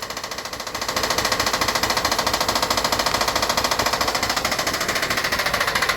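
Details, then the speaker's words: Van that runs about 3 seconds then drops into limp mode: a hard, sharp metallic knock at about three and a half per second, loud throughout. Suspected timing belt or tensioner problem; source unconfirmed. "sounds so hard over there that I'm just suspecting that we have you know Common belt problems but I've never heard a knock so so significant with a timing [Music] belt"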